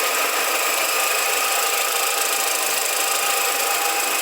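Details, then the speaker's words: 2007 VW SpaceFox 1.6, recent timing belt job, engine idling: steady high gritty metallic whir like a cricket over the engine; worn power steering pump bearing. "parece que tem um grilo metal pegando sei lá alguma coisa né"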